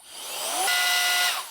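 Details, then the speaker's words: Alffaa Violent Turbo Fan electronic air duster on maximum speed, measured 45 mph airflow: high electric whine climbs quickly, holds clean steady pitch about half a second, winds down smoothly; normal operation. "45 miles per hour. This is crazy."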